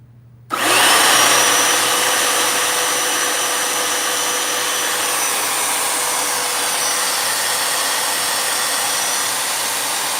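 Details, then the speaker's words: Royal upright carpet shampooer after belt refitted, brush roll test: switches on and settles into a steady, even high whir with no ticking, slapping or grinding; brush roll spinning normally, normal running. "Okay, so it works."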